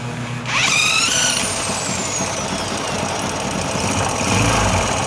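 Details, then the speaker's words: Yamaha YB small motorcycle engine started and idling with clutch cover open and no oil: harsh metallic rattle traced to worn, marked teeth on the clutch basket gear. "Graças a Deus eu já sei onde é o barulho é na Campana no dente mesmo que ela tava com uma marcação zinha aqui ó"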